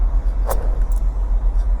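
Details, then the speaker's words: ST20 sail drive on a hauled-out boat, refilled with ATW90 GL5 gear oil: low, even, smooth bearing rumble with no notching, only handling knocks; bearing judged healthy (starboard slightly notchier than port but fine). "That's the sail drive. I think that's the bearing you can hear in there."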